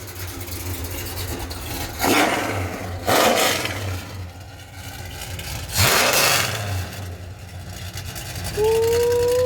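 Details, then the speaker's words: 1970 Pontiac LeMans with a rebuilt 455 V8 (6x heads, Edelbrock dual-plane intake, Quadrajet, MSD 6AL-2 ignition), after ignition troubleshooting: deep idle rumble, then several quick blips rise and fall cleanly without stumbling; normal revving. "Yeah. She sounds good. It's fun when muscle cars flex."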